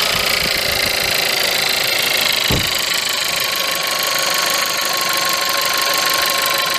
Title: VW Polo 1.2 TSI 66kW engine rattling noise when cold